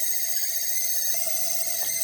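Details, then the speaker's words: LG ThinQ fridge, manufactured 01/2022, about two and a half years in service; loud steady high-pitched whine, even throughout. "The fridge cost 3,000 bucks. Only 2 years old sold. I don't think so it's correct to make this kind of noise."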